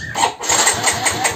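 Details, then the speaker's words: Yamaha X-Ride injection scooter on the electric starter: the starter churns in quick regular pulses but the engine never fires. No spark at a 1 cm coil gap, no fuel pump hum, dead signal and horn. Traced to a dead fuel pump IC. "kita coba double starter ya di double starter pun ini nggak keluar pengapian"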